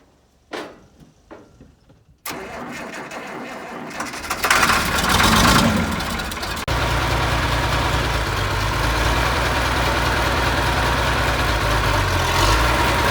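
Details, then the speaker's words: 1972 Massey Ferguson 1100 diesel tractor, 94 hp, long-abandoned and sitting, started with starting fluid: short cranking bursts, then it catches, revs up and settles to an even, steady idle with no misses; normal start and idle. "Well, there you have it. She's running."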